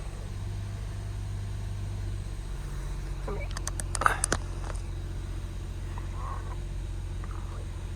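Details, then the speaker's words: Acura TL with a replacement engine fitted by another shop that would not start, running after its computer was brought back online: low, steady, smooth idle with no knocks, misses or surging, a normal idle. "look at that she is purring like a kitten"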